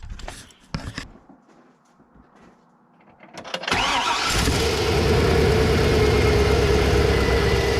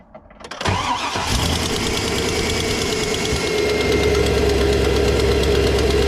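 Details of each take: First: GM LS V8 truck after installing exhaust manifold leak repair brackets on the side thought to be leaking: cranks, catches and settles into a steady, even idle with no exhaust tick; runs healthy. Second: GM LS V8 truck cold start: cranks, fires and settles into idle with a sharp rapid tick from an exhaust manifold leak. The tick has been present for years but recently got much worse, and it almost disappears as the engine warms; the fix is exhaust manifold repair brackets.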